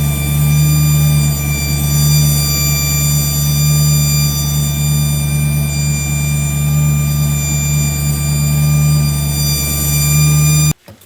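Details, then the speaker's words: Engine listened to through a hose as a stethoscope: constant high-pitched whine over steady rumble; owner feared the transmission pump, whine seems to come from around the distributor; cause unconfirmed. "well the the wine definitely sounds like it's coming from right around the distributor"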